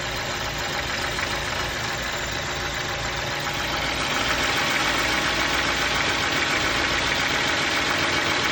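Idling petrol engine with a steady light tapping knock, roughly three or four a second, over a busy even hum; source not yet pinned down.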